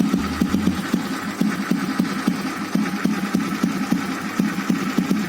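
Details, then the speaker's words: Old cast-iron Royal Enfield Bullet Standard 350 (346cc single-cylinder, air-cooled, 4-stroke, contact breaker) after VM-24 carburetor tuning; slow single-cylinder thump at idle, even firing, no misses or clatter; idle now smooth, credited to the carburetor. "तो guys आप देखेंगे मेरे भाई का जो पारी में है वह बहुत ही स्मूद हो गया है कि जो मायका फायरिंग स्मूथ हुआ है यह कारपोरेशन की वजह से हुआ है"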